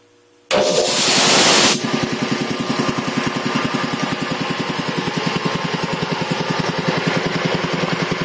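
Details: 1975 Quincy QR 325 compressor, converted to a GE 5HP single-phase motor with a 5¾-inch pulley, pump slowed to 621 rpm; the motor kicks in with a short rush, then settles into quick, even piston thumps while building pressure. Normal running.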